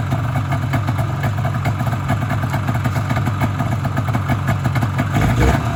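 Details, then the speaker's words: Polaris Indy Sport 340 fan-cooled two-stroke snowmobile after motor swap and fuel line work: even low burble holding steady with no misses; idle improved and clean, though it still bogs when driven. "you'll be able to hear it start Run's pretty good not nicer idle now"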